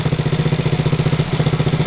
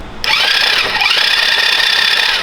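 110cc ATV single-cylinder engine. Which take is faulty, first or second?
second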